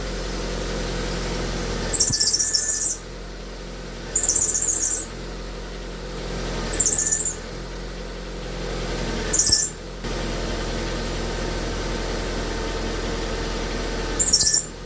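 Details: Car idling with the steering at full lock: sharp high squeals in short bursts from a hub dust shield in the steering knuckle, damaged during a CV joint replacement, rubbing; it squeals more at higher speed when driving.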